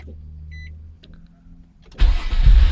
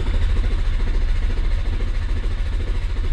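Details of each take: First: 2002 Nissan Maxima 3.5L after repairing P0335 crankshaft position sensor signal shorting to ground beneath the engine cover: chime, very short crank, engine catches almost instantly into steady run; long-crank fixed, normal quick start. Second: 2002 Nissan Maxima 3.5L with code P0335 and a long-crank complaint: steady starter churning for several seconds without firing. The crankshaft position sensor signal wire shows no square wave, so the computer receives no signal.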